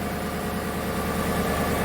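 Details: 2015 Chevrolet Tahoe V8 at cold idle, code P0300: steady hum with faint irregular stumbles from random misfires across cylinders, mostly cylinder 1, blamed on spark plugs after previous cleaning and plug change.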